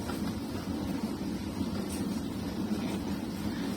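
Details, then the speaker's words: Arçelik 6343 dishwasher, running empty after tilting it to drain water and clear a possibly blocked switch channel under the tank, which ended its loud droning: even low hum with soft steady water swish; washing normally. "Şu an normal yıkamaya geçti. Evet arkadaşlar çok şükür makinemiz oldu. Şu an normal çalışma düzenine geçti şu an ama içi boş."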